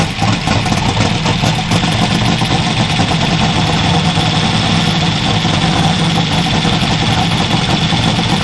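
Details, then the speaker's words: Twin GT45 turbo 468 big block with AFR 305 heads, 4500 Dominator throttle body and Holley EFI, at first start after reassembly: loud, lumpy rich idle with smoke, untuned, AFR lower than wanted, about 58 psi oil and 48–49 psi fuel pressure. "I'm gonna start this and it's loud, okay? And it smokes a little bit because I don't have my tuning right."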